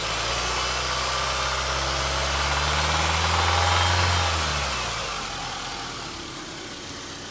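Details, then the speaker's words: Car engine idling, then revved and settling back, with an even tapping that follows engine speed; the knock started right after an oil change. Owner is unsure whether it is rod knock or valve lifters and is weighing a rebuild. "I got a problem here, and I don't know if it's the engine knock or the valves or what, but see what you guys think."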